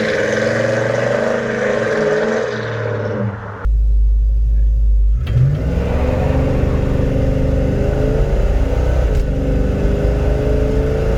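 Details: 1972 Chevelle Malibu 383 V8 on 2-inch pipes, before fitting Doug's headers and 2.5-inch Flowmaster exhaust: fires up into a deep steady burble then revs smoothly, no misses or ticks; normal stock exhaust note.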